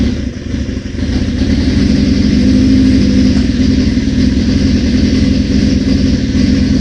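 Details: 1981 Suzuki GS650GL under rebuild, new battery, fresh plugs, oil, pod filters: catches and settles into a fast, steady choke idle with an even beat; running properly, though owner notes carb fuel leakage.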